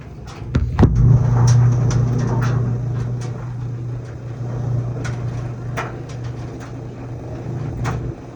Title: LG dryer making a buzz noise.